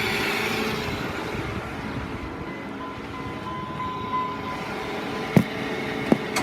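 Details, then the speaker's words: 1999 Dodge Ram 3500 flatbed, 5.9 L V8, 79,000 miles, on a jump box: steady even cranking but never fires, even with starting fluid. Appears to have no spark; something makes noise whenever the battery is connected. "It makes no effort to start even with uh starting fluid being sprayed into it."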